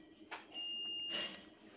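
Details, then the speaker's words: Stranger PBT701 amplifier, continuity test on the output stage: one steady high beep under a second persists even after all 5 upper resistors are disconnected, still showing a short. "Resistance जो है हमारी सब 5 का 5 खुल चुका है, ऊपर की तरफ जितने भी रेजिस्टेंस लगे थे। और फिर भी ये शॉर्टिंग अभी भी दिखा रही है मुझे।"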